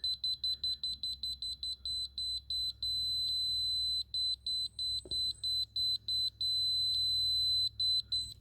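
High, clean beeps pulse quickly as the receiver nears the line, then settle into a steady tone right on grade.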